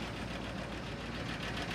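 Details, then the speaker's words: Cold 1972 Ford F250 4x4 Highboy V8 at idle, temperature gauge still reading cold, about 10 psi oil pressure: fast, light lifter tick over the low rumble; hoping getting it hot might quiet it. "It's got a little bit of a lifter tick. Um, or a lot of a lifter tech."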